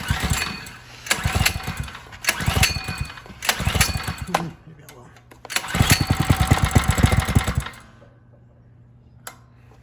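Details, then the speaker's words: Coleman RTK100 (CK100) 100cc go-kart, warm, throttle worked by hand at the lever: engine revs in rough surges then bogs down when resistance is added; factory-unlubricated dry centrifugal clutch, fixed by lubricating it. "as you can see i wasn't applying any thing to the accelerator at first i was i was manually controlling the the throttle control lever and eventually bogged out when i started putting some resistance on it with my foot"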